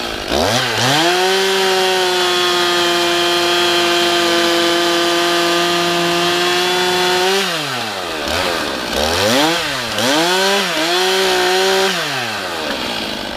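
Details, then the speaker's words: Stihl MS311 chainsaw rebuilt with a Chinese piston and honed cylinder after burning up, test run after half choke start: crisp two-stroke buzz climbs cleanly to a steady high rev, then drops and picks up sharply several times; normal idle and revving. "sitting here it's idling it's revving up there's no bug in it seemly running well pretty darn good"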